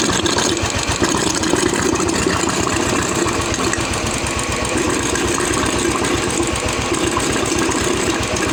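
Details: Royal Enfield UCE Electra (Bullet) single-cylinder after engine-noise repair, with head gasket, head, rocker arms, carburettor and silencer packing refitted: steady even idle thump, no knocking or rattle; oil circulation perfect; healthy.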